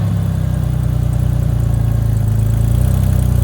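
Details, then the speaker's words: 1983 Chevy Camaro abandoned 15 years, running after vacuum leaks were fixed: low, even idle with a fast puffing tick on each firing pulse, an exhaust leak. "Got some vacuum leaks fixed. Ben's gonna see if it actually moves, see if the clutch works. Nice exhaust leaks."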